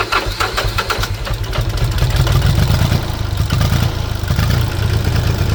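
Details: International 285 4x4 diesel tractor (title says 284), restarted after revival with ATF in cylinders: brief crank, catches and settles into a steady even low idle clatter with no misses; starts and idles normally.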